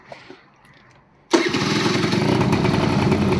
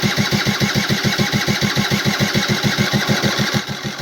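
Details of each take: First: AF18e two-stroke engine swapped into an AF09 scooter, first start with a welded-up exhaust: quiet, then it catches at once and settles into a steady, even idle with no misses; a healthy start. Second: AF18e engine swapped into an AF09 scooter: even chugging about three beats a second that slows, cuts out and restarts before stopping; starter engages badly and locks up, owner suspects he damaged something in the starter motor.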